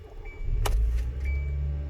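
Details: 2016 Kia Soul after installing new coil packs: starts right away and settles into a low, even idle with no misfire or shake.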